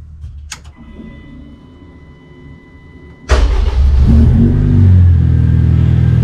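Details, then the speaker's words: K20-swapped DC2 Integra racecar, Haltech Nexus R3 PWM-controlled main fuel pump in surge tank: during priming pump barely running, faint hum, then engine starts and settles to steady even idle at 0–20% pump duty cycle; normal. "that work perfectly so as the fuel pump was priming I could hear that it was barely running and as soon as the car started up like I was pointing out on the screen it was in the first cell of the table so it was between 0 and 20%"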